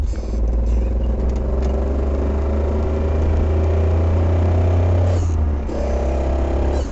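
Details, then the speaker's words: Fiat Spider recorded inside the car while coasting; heavy low droning rumble from the rear end with a faint steady hum, louder when letting off the clutch. "Okay, this is inside the car. Louder when I let up off the clutch. Coasting in."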